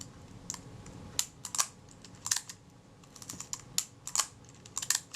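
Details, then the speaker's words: Kodak Retina IB type 019-II, Synchro-Compur shutter reseated after it had wriggled out of alignment, wound and fired: crisp small clicks and short ratchet bursts at uneven intervals; shutter and film advance work cleanly as they should. "That's all working as it should."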